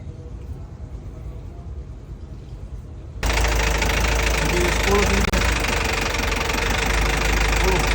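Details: Freshly rebuilt engine after an engine overhaul, started and run: quiet at first, then catches and settles into a steady, even run with no clatter or misfire; running normally.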